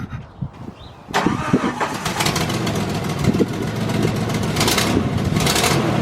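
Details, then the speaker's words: Jeep 4.0 engine cranks and catches, then a sharp rapid ticking puff rides on the idle in time with the firing; a cracked exhaust header, a common 4.0 problem. "one of the annoying problems with the 4.0 is the header crack which sounds like this"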